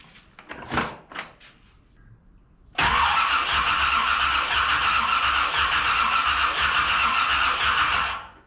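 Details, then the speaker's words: 1981 Chevy Corvette V8 after engine reinstall, cranking about five seconds while watching the number 3 plug wire: steady cranking beats that never fire. No spark; owner narrows the fault to the distributor and suspects the cap or coil. "Nothing. No spark at all."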